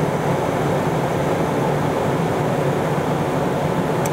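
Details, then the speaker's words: RV rooftop air conditioner in cooling mode after storage: steady even whoosh of fan and compressor, no rattles, squeals or cycling, blowing nice and cold; normal operation. "Blowing nice and cold."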